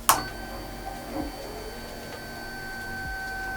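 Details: Honda VFR800 motorcycle that would not start: fuel pump removed from the tank with stinking old fuel drained, then bypassed with a wire loop; a brief click, then a thin steady whine of even pitch over a low background hum as the pump runs.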